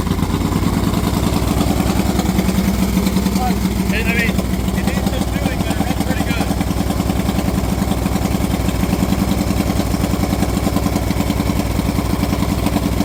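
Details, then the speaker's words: Moto Guzzi 850T café racer, first start after full custom build with new points and condensers fitted to cure a no-spark fault; lumpy but even V-twin idle with a steady loping beat, no misses or clatter, running cleanly. "Yes, folks. It's back. It runs."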